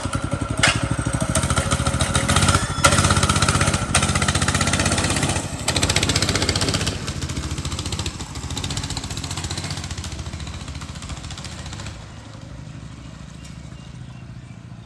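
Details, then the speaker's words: Motovox mini bike after fixing the worn, vibrating clutch, lubing the chain and removing the rattling exhaust guard: small even revs on a ride with no clutch chatter or chain slap; running normally. "now the clutch doesn't wiggle all over the place and it shouldn't make that noise anymore."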